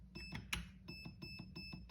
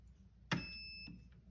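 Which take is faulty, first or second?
first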